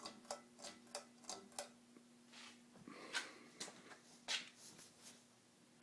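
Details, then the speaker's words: 52-inch second-generation Fasco Charleston ceiling fan, stack motor, on low speed: faint steady motor hum with irregular ticks and clicks about every third of a second; owner unsure of the noise's cause, which grows as speed rises. "has a real nice aesthetic load to it i don't know what's causing that noise but unfortunately you're gonna hear it as the momentum increases"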